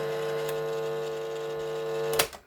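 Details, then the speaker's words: Vintage National Panasonic RX-1490 two-band radio cassette recorder, tested with no cassette inserted: even mechanical whir with a slight steady hum, no grinding or slipping, ending in a clean clunk; the belts are intact and the tape transport works normally. "yep it works fine mechanically i'll have to find a cassette and uh we'll put it in and see if it actually plays back"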